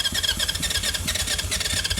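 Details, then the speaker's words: 1980 Honda CB750F Super Sport, 5,616 miles, sitting since 1988, on choke with a weak battery: catches in uneven bursts, stumbling and nearly settling into rough idle; sputtering start, carb clean judged needed. "That sounded like running. I don't know about you guys, but this is a carb clean away from being being good."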